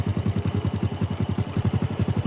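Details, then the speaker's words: Honda Supra 125 single after repair of connecting rod (setang seher) that caused tek-tek ticking when revved; even thump about eight beats a second at idle, no tapping or rattle: normal idle. "nah ini Supra yang suaranya tek tek tek gitu teman-teman kalau di gas itu ada suara sekarang udah sembuh ya"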